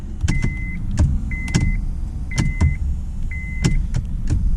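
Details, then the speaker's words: 2004 Honda Accord (2003–2007 issue), under the dash: turn signals click normally then turn into half-second high steady buzzes broken by sharp ticks; faulty turn signal flasher relay. "okay so the acting sometimes they will work click click click click click click normally and then bro all of a sudden and uh that's the issue i'm having"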